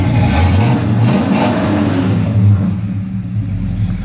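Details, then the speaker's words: 1971 Oldsmobile Cutlass 350 V8 convertible, cold start at about 41 degrees: deep low burble, revs rising and falling smoothly, no knocks or misses; sounds good. "I'll fire it up so you can hear it cold starting temperature was about 41 degrees on my sounds good"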